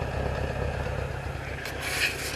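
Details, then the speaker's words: 1977 Toyota Celica warmed up, fast idle about 1000 rpm, still high: lumpy, uneven exhaust burble; owner suspects ignition timing over-advanced, also to check dwell; not confirmed. "got a little bit of a burble to it i think the timing is over advanced so that's our next step"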